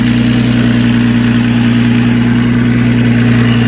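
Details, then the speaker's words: 2004 Nissan Maxima with stall and fast-idle issue, idling after a battery charge; steady idle with a light metallic rattle over the engine note, owner suspects the timing chain: rattle at idle. "still rattling a little i think she needs a timing chain man you don't sound good"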